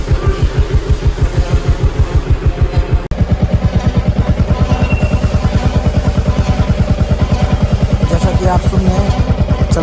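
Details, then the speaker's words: Royal Enfield Classic 350 rear brake noise: steady low "gh-gh" thumping, about three a second, as the rear brake drags lightly on a turning wheel with light brake applied; brake cable slack is the cause. "रही है घ घ की आवाज आ रही है अभी मैं स्लो मोसम में दिखा रहा हूं आप देखिए किस तरह की आवाज आ रही है"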